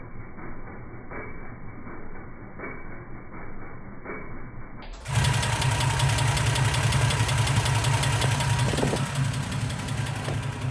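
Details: Toyota Land Cruiser FJ60 with just-rebuilt engine: cranks and catches, then idles with a steady tick-knock of about three per second; possible engine knock, cause not yet pinned down.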